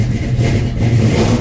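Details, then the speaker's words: 1967 Chevrolet C10 V8 just after a cold start, unstarted for several days: rumbles unevenly with throttle blips, very cold natured and won't hold an idle until it warms. "Very cold natured."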